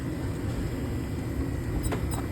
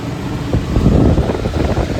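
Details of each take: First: Exhaust hood fan, labelled 115 V single-phase motor, running: rough, churning low rumble with scattered ticks, sounds terrible. Drive belt is chewed up and the pulley is misaligned, running downhill; motor being replaced. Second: Exhaust hood fan after a motor replacement, with rotation swapped to counterclockwise, bearings cleaned and greased, and the welded contactor replaced: a steady air rush and even motor hum with no squeal or rubbing. The fan is running normally.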